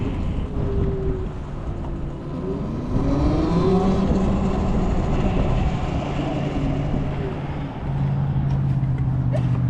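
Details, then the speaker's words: TERRA Prime electric motorcycle accelerating hard in Ride Mode 3 "dirty", wide open with fast acceleration toward a 70 mph top speed; smooth motor whine climbs in pitch under wind rush, no grinding or clunks; normal full-power acceleration. "So, as you can see, pretty snappy on ride mode three. Uh, I barely I rarely ever ride in ride mode three just cuz it's so fast."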